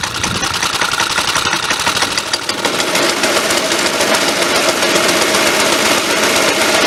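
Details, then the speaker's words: Suffolk Punch 30S mower, warm, after cleaning the air filter and adjusting the carb: fast, even single-cylinder patter with no misfire or surging, fairly quiet muffler; running decently. "There we go. Running pretty decently. It's quite quiet. The muffler's obviously quite good."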